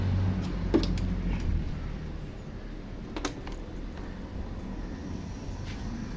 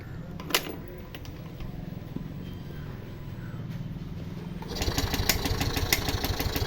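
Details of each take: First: Facino BS6 scooter after a loose injector connection was tightened and cleaned, which had caused an intermittent injector supply: it starts and idles with a low, even putter and light clicks, showing no problems. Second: Yamaha Fascino BS6 scooter with injector fault code: starter cranks evenly but the engine never fires; suspected open injector circuit or broken wiring, later traced to a wiring fault at the injector.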